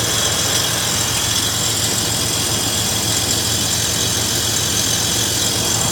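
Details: 2000 Toyota 4Runner engine idling: a steady, harsh grinding rasp over a low, even hum.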